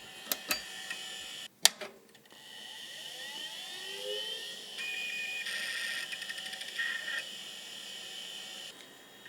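A few clicks, then a thin high whine rises and settles into a steady hum with light seek chatter; a healthy drive spinning up.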